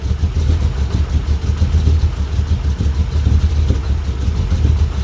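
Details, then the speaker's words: 1985 Dodge D150, 408 stroker Mopar, Comp roller cam 238/242 .589 lift 110 LSA, cold at idle around 400-700 rpm: deep uneven loping pulse; normal big-cam chop, lumpy cam idle, not a fault. "so but it's cold so I'm gonna let it warm up you can hear it you can really hear that cam in"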